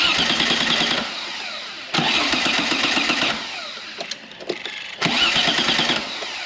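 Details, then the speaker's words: V6 trike: three bursts of steady starter cranking at around 200 per minute, never catching; the fuel pump cannot be heard or felt running and was found seized, so it cranks but will not fire. "I can see a fuel pump down there but I can't hear it kicking in"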